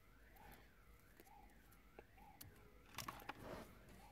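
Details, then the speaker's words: Alarm siren of a remote start alarm being installed on a Honda (2001–2017) wails faintly, rising and falling about every 0.7 s; it triggers because the system has no ground and is pulling ground from wherever it can; grounding the remote start silences it. "so you just heard my siren go off the reason why it went off because there's no ground on the system so it's pulling ground from wherever it could get"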